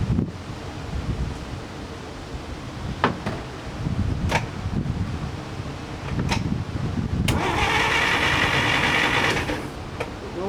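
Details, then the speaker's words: 1947 DeSoto that won't start, with a little gasoline squirted into the engine and ignition on: even, steady starter churning, turning over freely and trying to start without catching. Cranking is normal, so fuel and the rest are judged fine. "you see the engine cranks just fine i have the condition on see as you can hear it tries to start"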